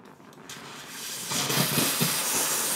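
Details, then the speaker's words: Gaggia Classic Evo Pro espresso machine steam wand after switching to steam mode and boiler heating up; quiet start then strong, even, steady hiss delivering plenty of steam, normal output. "oh yeah that's plenty of steam"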